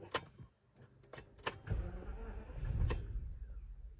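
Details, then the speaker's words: Rolls-Royce Phantom unstarted for about 5 months: a few clicks, the engine catches with a low rumble for about two seconds, then stalls; found that the big AGM battery is shot and warm. "It seriously starts and then immediately stalls. I don't understand."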